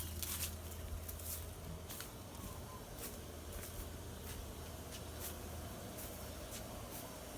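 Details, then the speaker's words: Pool pump motor running normally before a filter backflush, recorded down at the pump by a platform near a tree; a steady low hum at an even pitch under footsteps and scuffing. "Step one is to make sure that the pump motor is running. You can hear it's running now. If it's not running, you need to turn it on back in the garage with the bypass switch."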